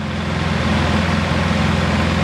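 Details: Polaris Sportsman 700 ATV during overheating troubleshooting, after a radiator swap, with the cap off and the thermostat opening and coolant circulating: a steady, low, even idle with no knocks, ticks or misses.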